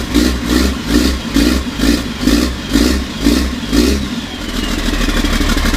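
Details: 1991 Ford F350 with a swapped CAT 3126 diesel, before a new oil pump install meant to fix hard starting: slow rhythmic cranking of about two pulses a second for four seconds before it catches into a rough idle.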